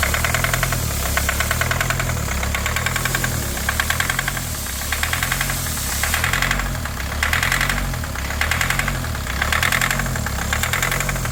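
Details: 2020 Kia Sportage at startup: sharp, rapid metallic tapping over a lumpy, shaking idle. The engine is knocking and running rough; the engine was later disassembled.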